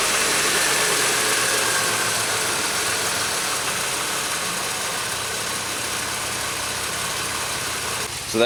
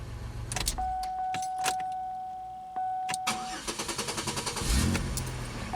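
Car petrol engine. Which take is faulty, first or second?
first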